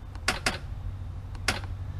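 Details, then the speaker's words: Polaris Slingshot battery discharged to about 10.9 volts (showing 10.3 with key on) after 25 minutes: a few sharp dry clicks at the key and no cranking, the battery too flat to turn the starter. "it took 25 minutes to get it to 10 9 and it will not crank at this point"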